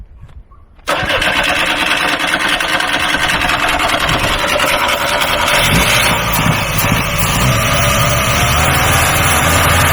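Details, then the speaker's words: Free truck with no exhaust fitted, after fuel pump check: silence, then fires almost at once and settles to a steady even idle with no misses or knocks, doesn't smoke; normal clean start. "you can use now that is enough we don't need an exhaust doesn't even smoke great okay we got an engine"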